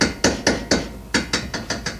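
Sharp metallic clunks, about four per second, each time the linkage is rocked by hand, which points to a loose, worn tie rod end.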